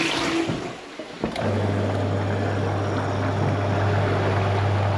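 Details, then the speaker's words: Toilet macerator at a bed and breakfast, reassembled after removing two components from inside: after a short flush, a smooth, steady low motor hum with no rattle; now running cleanly. "Perfect, loads better. There we go, sorted."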